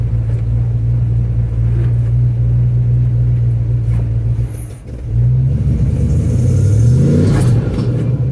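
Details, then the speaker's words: 1974 Chevrolet Custom Deluxe 3/4-ton pickup, sat for years, running on its own: steady low rumble with a slight revving swell near the end, no knocks or misses; runs great. "I wanted to prove that the engine ran, and boy, it runs great and it sounds great."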